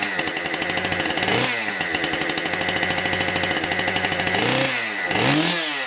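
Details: Husqvarna 550XP chainsaw test run after bar-oiling repair: two-stroke buzz revving up and dropping back cleanly several times, crisp throttle response and steady high-speed note. Runs healthy.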